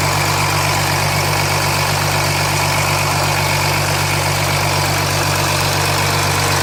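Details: 2007 Jeep Grand Cherokee 3.0 CRD diesel started from cold at idle, oil pressure light on at idle but off when revved, oil level correct: dense steady metallic clatter; owner suspects timing chain, though not localised at front.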